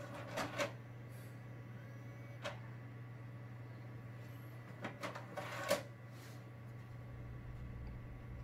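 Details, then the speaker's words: Xbox 360 disc drive after repair: low hum with sharp clunks as tray pulls shut then pushes straight back out; tray reopens after closing, possibly laser problem, unconfirmed. "Southpark stupid load so closes it wants just reopen again straight away"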